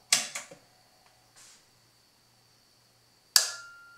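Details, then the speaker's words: NAD 2200 power amplifier after replacing the oxidized speaker protection relays, at power-on: switch clatter, then about 1 second later a single crisp click as both relays close together as one; normal relay engagement. "So both relays, they actually assert, the relays close simultaneously. They actually sound like one part, and that's what you want to hear."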